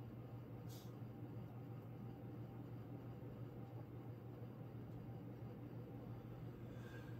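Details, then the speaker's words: King of Fans Grenada 52-inch three-speed ceiling fan from the mid-to-late 1980s: a faint, steady low hum from motor housing vibration. The bearings are quiet, with no ticks or scraping. "the bearings on the fairing are pretty quiet most of the noise you hear it is a vibration in the motor housing"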